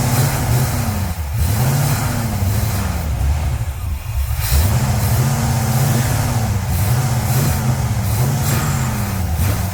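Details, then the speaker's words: Pontiac 350 V8 in a Le Mans on a sat, dirty 650 carburetor with a clogged vent tube: revs surge then sag and fall back each time as if starved of fuel; carburetor fuel starvation. "this one it would rev so far and then once you reved it so far it was like it just completely ran out of gas"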